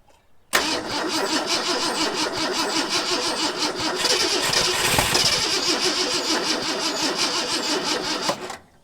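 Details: Long-parked 1974 Ford F100 running on gasoline poured into the carburetor: uneven, stumbling pulse with misses. Owner suspects a clogged carburetor and plans a carb kit.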